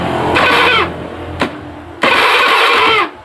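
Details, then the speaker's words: Honda Beat FI scooter with no ignition, during a test on a line from the ECU: two short starter bursts with no firing; cranks but no spark, ECU first suspected, cause later traced to the pulser. "Oh, enggak nyala ya. Saya matikan lagi."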